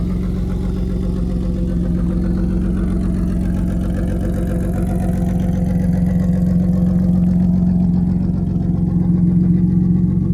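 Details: BMW E34 Touring revived after 10 years sitting in a field, engine swapped in with E36 harness, manual conversion, 3.23 differential, first runs after install; smooth even low idle hum, no knocks, ticks or misses. Normal idle.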